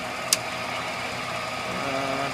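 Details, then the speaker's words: Centerless grinder with diamond wheel running: one sharp electrical click over the steady hum as the automatic cycle switches in; normal relay clicking. "you can hear some electrics clicking in and out of the machine machine there's also a cycle we can turn"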